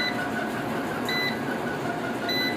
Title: Inverter beep sound problem || beeping continuously || سولر انورٹر بیپ کیوں دیتا ہے || k I khan